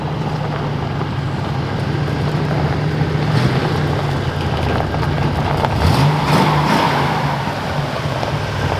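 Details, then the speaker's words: Abandoned 1969 Ford F250 Crew Cab V8, first run in 21 years: deep, even rumble with a steady firing beat and no knocks or misses; the engine sounds healthy and runs great now. "Alright. Oh, it runs great now."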